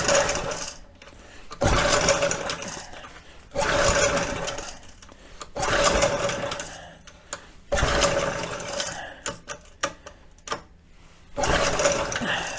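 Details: Early-1970s flathead Briggs engine on a scuba compressor, on 50:1 mixed fuel primed down the carburetor. Repeated pull-start bursts sputter briefly and die; spark is confirmed and the plug is wet, but it won't catch and run.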